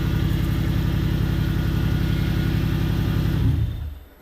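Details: Toyota 1UZ turbo V8 that began rattling on track; big-end failure suspected, blamed on poor, hot or wrong-grade oil. Oil pressure was checked at the oil system outlet. A heavy, regular knock of about 220 per minute sounds through the revs before shutdown.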